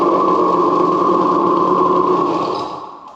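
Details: 1970 Suzuki TC-90 two-stroke restarted with oven-cleaned baffle reinstalled: even buzzing note holding steady, then dying away at shutoff; runs cleanly, normal running.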